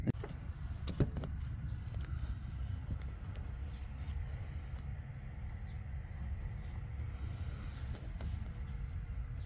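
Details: Volkswagen LT35 diesel van after limp-mode fix, stuck EGR flap freed and EGR valve blocked off: low, even diesel rumble, steady idle with no stumbles, hunting or misses; running healthily.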